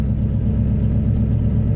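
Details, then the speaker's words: Holley carburetor freshly pre-adjusted, installed and timed, engine reassembled; in neutral it fires right up with the key to a smooth, even low rumble idle, AFR upper 14s to 15 (maybe slightly lean), vacuum steady around 18; normal idle. "all right so we got everything good and reassembled here we're in neutral fires right up with the turn of the key"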